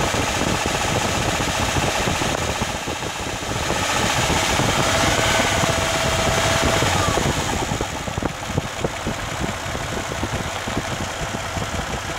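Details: Steady light bottom-end knock, about three or four per second, over the idle of a 1997 Lexus LX450 (Land Cruiser) engine; sounds near cylinder 2 or 3, owner unsure whether rod bearing or something else.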